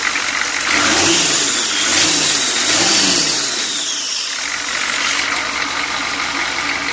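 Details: Long-stored old 6.2L GM diesel V8 runs evenly and is blipped three times with no knock breaking through, after curing a knock caused by weak or stuck injectors.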